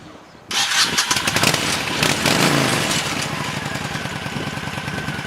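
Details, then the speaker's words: 1997 Honda VT1100CH V-twin, revived after sitting 3 years, with varnished carbs cleaned and varnish removed from the front piston, tight float setting. It catches at once and settles into an even, lumpy idle with no popping or backfires, so start and idle are normal. "But anyway, a couple months later, here's what the girl sounds like."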